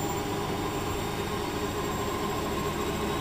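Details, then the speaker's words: Bosch WFF2000 washing machine on boil wash, drum spinning at 1800 rpm: steady loud rushing drone with a faint high screech over it; sounds harsh but is normal high-speed spin. "we're at a thousand eight hundred RPM it sounds like it's screeching it does a little bit it sounds bad yeah it's okay it's normal"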